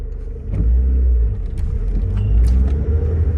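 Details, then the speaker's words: 1989 Honda Civic EF hatchback while driving, after lubricating the speedometer cable with white lithium grease: only low engine and road rumble, and the earlier whine and grinding rising with speed is gone. "So, normally I can hear a whine. When I first started, I didn't hear that whine."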